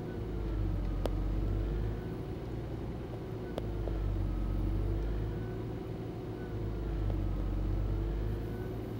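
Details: Nissan Gloria Y33 VG20E, cold engine: idle rises and falls in slow waves about every three seconds; hunting idle until the engine warms up.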